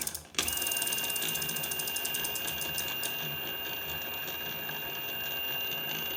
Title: Bafang BBS02 750W strange noises